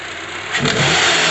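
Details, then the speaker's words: 2012 Honda CR-V: engine revs up from idle and a dull knock near the top of the engine comes in at startup or when the throttle opens, not at steady running; traced to a badly worn serpentine belt, and replacing it cured the noise. Belt knock on acceleration. "no lo hace solo es cuando se prende o cuando se pisa el acelerador pero una vez prendido no lo hace"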